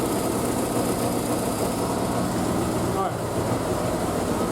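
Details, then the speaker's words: Triumph Spitfire after a single-carb conversion, unstarted for a couple of weeks, warming on choke after a cold start with the exhaust wrap steaming. Fast, even idle with a steady rumble and no stumbles or misses; a healthy engine. "So let's give the choke a yoink and see if she starts up. Hasn't been started in a couple of weeks because of the weather."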